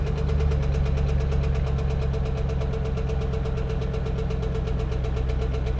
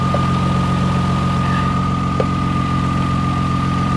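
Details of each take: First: 2011 Chevy Camaro SS salvage-auction car, started on a booster pack: steady V8 idle with a dull, deep, even knock every revolution; owner had hoped for a lifter but calls it a rod knock, needs an engine. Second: 2000 Toyota Sienna with about half a million miles, hail-damaged salvage-auction van: steady even idle with a faint constant whine, no knocks or misses; running flawless and perfect, though an engine mount is loose.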